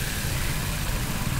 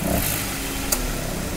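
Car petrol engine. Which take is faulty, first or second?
second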